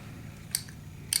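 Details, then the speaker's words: 1993 Chevrolet Silverado fuel pump relay bench-tested off the truck: two crisp clicks about half a second apart when energized, contacts close; relay switching normally despite hard-starting issue. "You hear it relay just clicking. Click, click, click. Alright, so we know this relay's good."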